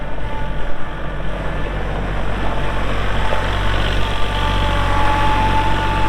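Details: 2022 Kubota L3901 4WD hydro compact tractor diesel, 219 hours; deep steady diesel rumble at an even pace, no knocks, misses or hunting: normal healthy running.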